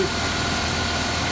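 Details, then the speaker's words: 1987 Dodge Power Ram 50 4x4, 2.6L Mitsubishi with Mikuni carburetor, 100,000 miles, ice-cold start after days sitting. The first brief idle drops after a throttle tap to the normal high idle: steady, even, no misses, knocks or hunting. "the first idle speed you heard just for a second after it starts up when you tap the throttle and goes down to the normal high idle"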